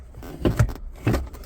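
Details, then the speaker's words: 1993 Jeep Cherokee XJ that sat for a long time, in neutral, lever shifted through the transfer case positions: two short, clean clunks with no grinding. The transfer case shifts normally. "Transfer case, let's take a listen to the transfer case. Transfer case sounds good."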